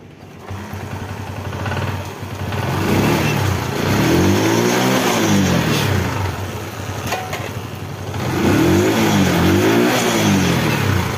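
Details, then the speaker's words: XL100 BS6 motorcycle: revs climb and sag in slow waves instead of settling to idle, fuel pump motor runs fast after key on; racing attributed to throttle body/throttle position sensor fault. "எல்லாம் race ஆகுது ஆனா வந்து fuel motor என்ன ஆகுதுன்னா fuel motor வந்து வேகமா ஓடுற மாதிரி இருக்கு உருன்னு வருது"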